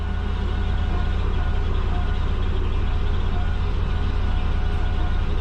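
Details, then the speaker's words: Turbocharged Subaru Forester running after the low-mount exhaust was fixed, the wastegates resealed and a new O2 bung fitted: a steady, even low burble at idle, likened to a Jetsons car, with no misses or hunting. Normal idle. "what do you reckon it sounds like a jetsons car but nice idle"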